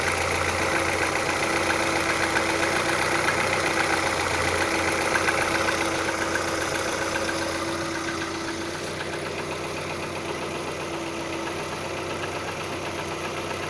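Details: Crisp, even knock at about four per second over a steady idle of an Audi 80 B3 1.8 engine; clear mechanical knock of unknown cause.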